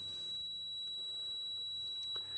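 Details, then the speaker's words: Philips Model 148 tube radio, completely deaf after a full tube replacement: a steady continuity beep shows a dead short to ground through the trimmer capacitor. "trimmer cap is over here and I'm just putting pressure on it and it suddenly stops that trimmer cap is short to ground and if I put pressure for some reason I'm removing it removing the short"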